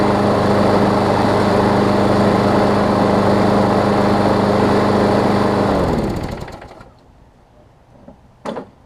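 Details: Craftsman push mower that was running too fast and vibrating, cover off, no blade fitted, right front wheel replaced and wheels tightened: engine holds a steady, even speed without surging or shaking, then winds down cleanly at shutdown; running normally.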